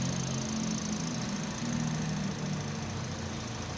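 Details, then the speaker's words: Toyota Vios petrol engine revived after 3 months sitting and lost compression by adding oil to cylinders: even, fairly steady mid-pitched idle hum, no knocking or stumbling; normal idle. "Mabait siya umandar ang kinis lang ang gagawin Basic lang basic dali lang mayari eh Okay na goods"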